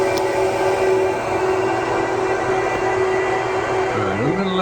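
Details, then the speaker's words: 2009 Apple Xserve running under load, copper/aluminium heatsinks near 50 °C: loud steady rush of air with constant fan hum, no surging or rattle; normal server fan noise, louder than idle. "the air is being blasted straight from the pipe through the process"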